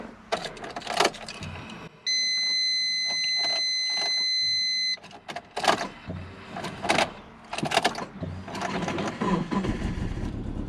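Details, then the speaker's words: Subaru Forester turbo started after sitting under a tree, on a battery swapped in from another car (jump start ready if needed); starter cranks briefly, engine catches and settles into a steady idle amid clatter; healthy start. "Oh yeah. Sweet. I think I got the start up pretty good"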